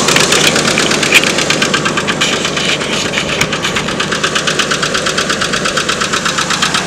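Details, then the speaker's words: Red truck idling in neutral because it won't go into park: a loud sharp knock about three times a second over the engine; owner says the engine needs changing or replacing, cause not pinned down. "very great truck but you can hear why i need to change or get my engine replaced"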